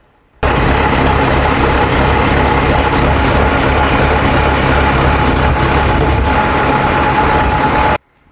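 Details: Bull 4WD JCB-type loader diesel started after transmission fitting and resealing of the hydraulic pump, before checking the hydraulics: a steady, even diesel chug at constant idle with no knocks, misses or grinding; a normal idle.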